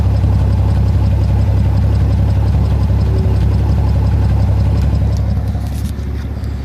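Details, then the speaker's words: Rambler with number five cylinder lost, no compression, misfiring under power: deep idle heard at exhaust with a lopsided puff about three per second; owner hopes stuck valve or bad seat, fears cracked head. "and then if we go back here and listen to the exhaust note you can hear the compression loss"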